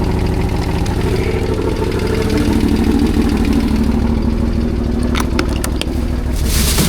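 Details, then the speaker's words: CFMOTO CForce 1000 ATV (2V91Y V-twin) at idle: quick, regular knocking of about three per second from the second cylinder; owner suspects valves, timing chain or the tensioner not extended, and plans to open the engine. "Блин, что-то стучит. Клапана что ли стучат? Вот с этого цилиндра стук идёт."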